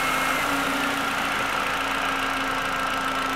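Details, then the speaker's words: 2004 VW Jetta 1.8L with P0411 secondary air incorrect flow, noisy on cold start; secondary air pump energized manually by grounding the relay at idle, giving a steady electric whir with a hissing rush consistent with a system air leak. "And all I need to do to give this a ground is touch this. And you can hear my air pump run."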